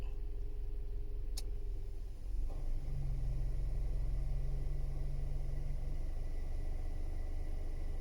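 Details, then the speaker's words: Toyota Vios, 260,206 km, parked in sun, engine idling: steady low howl over cabin rumble from the AC evaporator unit while the AC compressor runs, heard clearly inside the cabin; evaporator is a non-original replacement, system leaking, compressor getting noisy. "เสียงหอนออกมานะครับก็อย่าม.คก็ได้ยินชัดเจนเสียงหอนขณะแอร์ทำงานในขณะคอมแอร์ทำงานอ่ะ"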